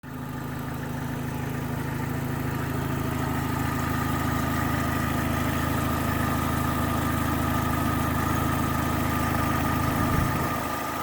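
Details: Opel Astra H GTC 1.8 automatic at idle: a light, fast, even tick rides over the engine with a faint constant whistle, source unclear. Engine ticking at idle.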